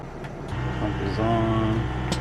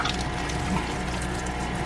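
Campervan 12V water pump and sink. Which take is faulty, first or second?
second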